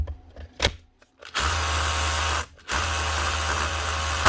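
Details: Makita DHR242 18V cordless SDS drill after repair: two short even motor bursts at constant pitch, no stutter, cutting out or grinding; runs healthy, though the chuck is dry of grease.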